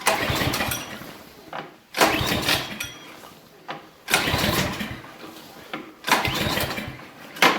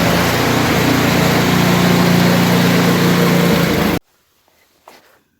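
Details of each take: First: Briggs & Stratton Brute snowblower (Menards), electric start: four bursts of starter cranking that fade out without the engine ever catching or firing; cranks but won't start, pull start also fails, cause not yet confirmed. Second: Briggs & Stratton Brute snowblower, after letting suspected water or ice dry out and starting via electric-start button: small engine holds a steady, even beat at constant speed with no misses for about four seconds, then shuts off; running normally.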